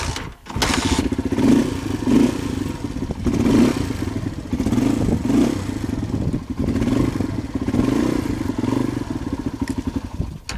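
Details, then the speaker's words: Motorbike idling after its 2-year-old stale fuel was replaced with fresh petrol; before, it took 15–20 minutes of kicking and would not idle. Now it ticks over steadily with an uneven thumping beat and gentle blips, wind in the background. "that's what difference fresh petrol makes"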